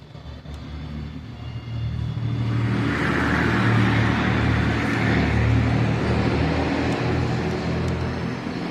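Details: Epson L3250 printer that makes noise and won't print: loud rough rattle from the paper feed, about four times a second, while copying, then a paper error and stop; feed gear skipping.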